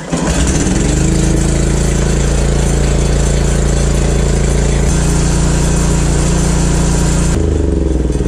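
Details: Huskee rototiller, unstarted for years: small single-cylinder engine catches and settles into steady even run with no misses or knocks; normal running.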